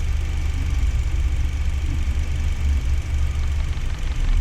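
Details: Car with a 5th-generation BRC CNG kit and Valtec injector rail, idling on CNG: low, steady hum with an even, smooth beat, no knocks or ticking. Petrol injector noise resonates more than the gas rail. Normal idle on CNG.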